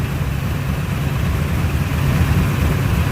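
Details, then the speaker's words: 1972 Chevy Corvette with a new Bluetooth programmable distributor, switched from the custom timing program to the stock program with retarded timing. The engine slows and idles harder, rougher and richer, with a deep, loping, lumpy rumble. "and you just heard the whole motor slow down and it also started idling a lot harder i don't know if you can tell the difference on through the phone or through the video but it is idling much rougher it's idling much richer it's not idling near as nice"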